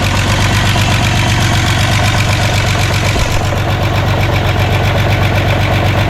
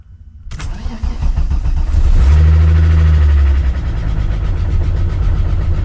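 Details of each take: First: VW Jetta just restarted after a clutch job, warming up: steady idle with a fast, even light tick of about four per second from fresh lifters, expected to go away as oil pumps up. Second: VW Jetta first start after a clutch job: quick crank with the clutch pressed, catches cleanly, revs briefly, settles into a smooth steady idle; fresh lifters tick, expected to fade during warm-up.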